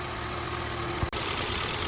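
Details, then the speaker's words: Imported Audi A3, about 150,000 km, burning oil, after a chain replacement, at idle in the morning: a light, busy rattle from the top end; attributed to camshaft journals wearing against the front bearing bracket, with hydraulic lifters found good. "这个声音我认为就是凸轮轴的轴头跟前面的瓦架发出来的。"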